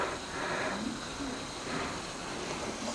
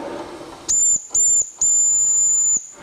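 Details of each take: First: Vintage 1974 Mamod TE1A steam tractor on first steaming: chuffing hiss and rattle from the little engine with a brief high squeal under load from its loose drive belt. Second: Vintage 1974 Mamod TE1A live-steam miniature tractor on its first steaming test: three clean, shrill whistle blasts, two short then one long held two seconds, steady pitch; the steam whistle works properly.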